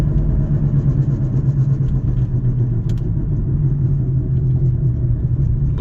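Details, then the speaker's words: Toyota Avalon with both front wheel bearings bad: a constant low droning growl fills the cabin while driving, growing with speed and going quiet when slowing down. "so I'm driving and this is a little video to uh let you guys know if your your bearing is bad you're hearing a lot of noise in the cabin"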